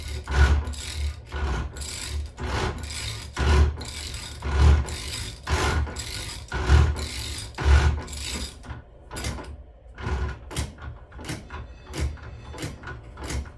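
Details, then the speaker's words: VW Gene Berg 5-speed gearbox after local shop fitted new shift forks, turned slowly by hand in fifth; irregular scraping and rasping about once a second. Grinding in fifth gear, setup faulty. "doesn't sound right. It sounds like sounds like it's grinding on something, which is a scary thing to hear."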